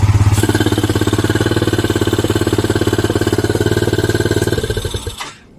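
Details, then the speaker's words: Yamaha Mio 125 scooter, hard starting, fast-draining battery, coolant loss and engine oil in the radiator: fast, throbbing idle that revs by itself instead of settling, with two noise points blocked by hand; racing idle. "ผมเอามือขุด2ที่เงียบครับแต่เครื่องมันเร่งๆอย่างนี้ครับตามที่ลูกค้าแจ้งมาครับเครื่องเร่งเองก็ประมาณนี้ครับผม"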